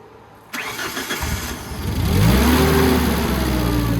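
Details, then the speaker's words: Tennant 355 ride-on floor sweeper after a new fuel pump was installed: it cranks, catches with a rising note and settles into a steady, even run at a high idle that is then turned down. Normal start and idle. "Okay, so that works."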